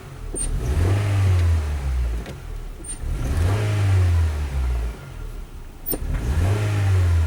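Three throttle blips with a low, uneven roar that wavers as revs climb; feels like a stumble under load, cause not yet pinned down.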